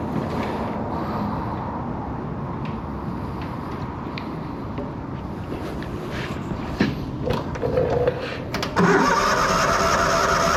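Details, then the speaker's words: Miller Bobcat 225NT welder/generator with an older Kohler engine that wasn't auto-idling, after fitting a new idle module, fuel pump, fuel filter and fuel lines: steady run with revs stepping up and down; normal automatic idle control. "all right so hopefully you should be able to hear it well yeah you you should be able to hear the motor idle up and down"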